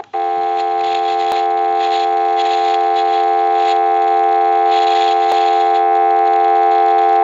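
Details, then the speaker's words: Western Electric 302 rotary desk telephone, F1 carbon transmitter on line test after dial tone is cut: faint crackling sizzle and scattered pops from the age-worn transmitter, too noisy, to be replaced. "we're gonna see if you can pick up that sizzling and popping noise that's associated with this f1 transmitter"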